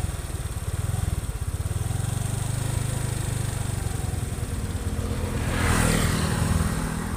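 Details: Honda Vario 125/150 FI scooter after throttle body and injector service and full internal engine cleaning and parts replacement, test run: even, steady putter swelling smoothly with throttle, no knocks or rattles; normal running.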